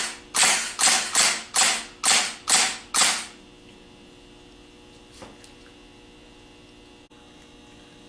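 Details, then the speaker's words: Rebuilt Nippon Denso gear-reduction starter on bench, series of short fast bursts: seven sharp whirring bursts, Bendix snapping out and back in with no hanging up or sticking; normal starter engagement. "we want to see that the Bendix snaps in and out very very quickly you want to see it snap out and snap back in no hanging up and sticking"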